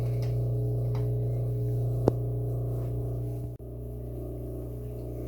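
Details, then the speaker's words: GE washer constantly buzzing, won't stop or exit whatever is pressed or if lid opened: steady low buzz of drain pump running but not turning off after final drain; reset via diagnostic mode, long-term fix was replacing the pump. "if you have a GE washer that'll keep buzzing no matter what you push and you can't get it to exit then this fix may be for you we'll plug in the washer and you can hear that buzzing sound"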